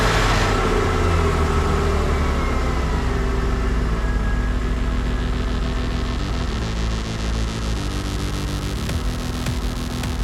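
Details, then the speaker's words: Old Porsche Boxster after cleaning oil out of the intake, smoke now cleared: engine management light on and the idle rises and falls unevenly every few seconds, a hunting idle; owner suspects the MAF sensor needs cleaning. "Engine management light on, and you can tell it's hunting a bit. I think I might need to take the MAF out and clean it."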